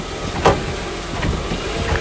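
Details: 2005 Honda Accord, front suspension, car put in reverse: dull clunks about every second as it shifts back and forth, on both sides; worn lower control arm bushings.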